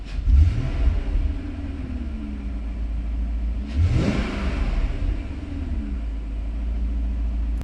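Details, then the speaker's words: BMW E39 revving after the cylinder 2 ignition coil was replaced with a new one and all spark plugs were renewed, which cured its cylinder 2 misfire: smooth rise and fall of engine note through a clean blip, vibration gone; normal. "그렇게 하니까 진동의 다 사라졌어 흄 엄청 부드러워요"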